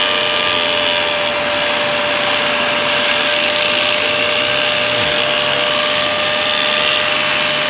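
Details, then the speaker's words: Dyson DC03 Absolute+ upright vacuum, base plate not fitting right: steady high vacuum roar with a faint dip in the low drone as the brushroll drags, hard to turn at start, burning-rubber smell; brushroll clutch failing, suction fine. "well that's not going to help it I think it's clutch has died that'll be why he thinks it's not picking up very well suction wise it's fine"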